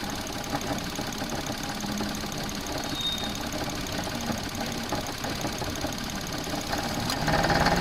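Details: Suzuki Alto at idle, rattle getting louder with rpm: light, uneven rattle about three times a second from alternator wobbling on a failed mount, worse under load or when air conditioning cycles.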